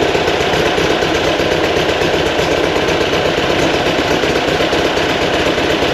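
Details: Fresh 2180cc VW air-cooled flat-four for a 1968 single cab, break-in run after timing was set; even, quick idle around 1200 rpm, set a little high to make driving easier, with no knocks or misses.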